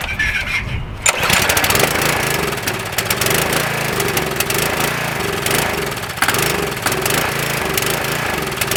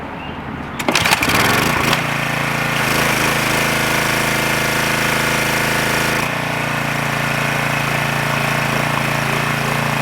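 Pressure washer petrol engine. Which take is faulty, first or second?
first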